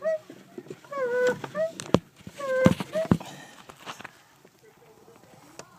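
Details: Clutch pedal after installing a Rage Tek pivot arm: squeaks and creaks rising and falling in pitch, with sharp clicks, as the pedal moves. Owner wonders whether the master cylinder needs replacing.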